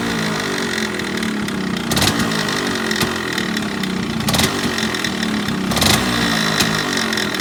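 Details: Yamaha RX135 two-stroke at idle with uneven rattly clatter and irregular sharp bursts every second or so; abnormal engine noise, cause unclear.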